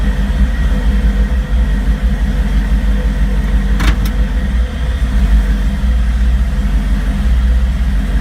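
Deep idle that wavers and stumbles instead of holding even, with one sharp click midway; an unsettled, rough-running engine.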